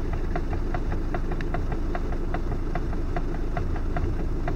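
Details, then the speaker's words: Volkswagen Tiguan: sharp ticks from underneath about twice a second when the steering wheel is turned to full lock; front suspension knock, ball joint suspected, not confirmed. "Мне кажется, шаровый, блядь. Такой звук на шаровый похожий. Полупластмассовый такой."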